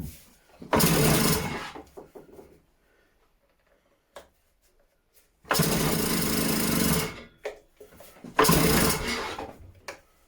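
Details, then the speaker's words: Stihl disc cutter, first start attempt on choke: three long rasping recoil pulls of about a second each, with no firing pops; the engine turns over but won't catch, though it later fired straight up. "all right so there's nothing there don't even sound like it's firing"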